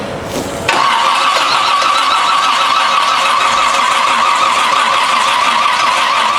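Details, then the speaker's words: Old Toyota Land Cruiser petrol engine with distributor plug wires being swapped to fix timing: catches abruptly after a short crank and settles into a loud, ragged, uneven run; rough running from incorrect ignition timing. "Tyson work your gas pedal there goes his Muffler there it is I tried to grab it for real quick that's okay we're close we're close"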